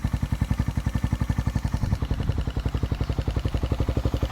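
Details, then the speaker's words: Motorcycle "Victoria" with stock Tsukigi pipe, back running: steady fast even single-cylinder idle with a light ticking on top that the owner says is only the carburetor; otherwise quiet, normal idle. "Carb lang yung naririnig nyo na Lagitek, guys. Tahimik na yung Victoria."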